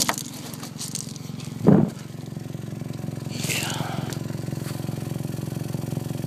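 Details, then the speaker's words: 1998 Honda Civic idling with a cracked exhaust pipe along the bottom: sharp, rapid puffing tick in step with firing, louder near the pipe; exhaust leak through the crack, owner may wrap it. "crack actually I'm just going to let it idle keep eating it up so I guess it needs to get hot and mesh but I'll show you where it's cracked at"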